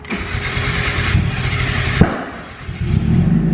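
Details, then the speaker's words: Turbo Mazda Miata with Speedy EFI ECU, restarted with the fuel pump priming under a second: cranks, catches, stumbles with a sharp pop around two seconds, dips, then recovers; backfire and stutter on startup. "and it backfires and stutters on startup it still starts and runs great but it still has that issue where it's not happy"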